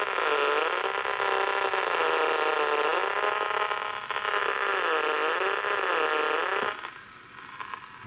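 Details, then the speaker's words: HIFIVOX MH2000 reel-to-reel: a wavering whine in the speaker from motor interference, heard even with the motor on a separate supply and the head replaced by a 330-ohm resistor. Lack of amplifier screening is suspected; an 11 µH choke on the motor side helps. "i think it's a lack of screening on this amplifier"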